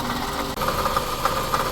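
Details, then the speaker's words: 2007 Scion tC, 5-speed manual, complaint of clicking and ticking: steady idle with a dry, gritty growl and faint rattle from the accessory side; staining and a wobbling pulley point to a worn water pump bearing. "so I'm pretty confident it's for the water pump"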